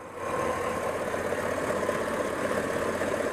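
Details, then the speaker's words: 2004 Chevy Tahoe with P0300 random misfire, stumbling at idle: faint irregular snapping ticks about once a second as a spark plug wire arcs, missing each time; plugs good, fix is new plug wires. "Listen. The sound's right there. And every time it arcs, it misses. Okay, so that's where the problem is."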